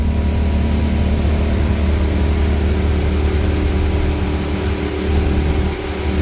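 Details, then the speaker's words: Volvo Penta in Regal boat on water test after fuel injector repair: deep even drone held at high revs, tach reads about 5500 rpm (owner thinks tach wrong), no stumbles, misfires or alarms, temperatures good; normal high-rpm running. "running smooth and steady well so far so good temperatures are good sounds good we got no misfires no alarms nothing going on"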